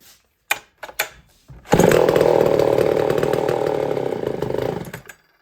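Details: Homelite Super 1050 chainsaw with crunchy carburetor diaphragm, given a shot of fuel and a little choke: catches after a few pulls, revs raggedly about three seconds, then dies; fuel starvation suspected.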